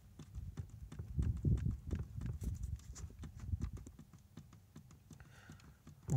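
Irregular dull clicks and knocks, about four a second, as the steering shaft is rocked in a worn lower bushing.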